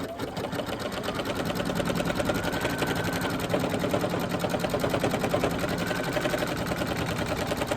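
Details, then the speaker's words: Embroidery machine stitching an Easter bunny table runner through thick fleece and multiple layers: fast steady clatter about two hundred stitches a minute, heavier than usual; extra load from thick fleece suspected, not confirmed. "Now the fleece is a little bit thicker than normal, so you may hear a little bit extra noise, but don't forget it's going through fleece and multiple other layers, so that could be the cause."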